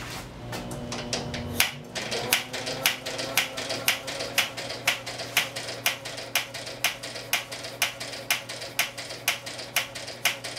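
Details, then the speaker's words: Mystery engine's first start attempt, cranked by belt from a motor with fuel mixture open about a quarter turn: sharp, even ticking about two per second, no firing beats, cranking but not catching; owner suspects it flooded, not confirmed. "it obviously flooded not trying to run"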